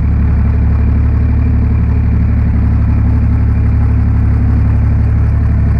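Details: John Deere 350B crawler dozer diesel after a cold start: deep, even idle with steady low thumping about four beats a second, no knocks or misses; running well.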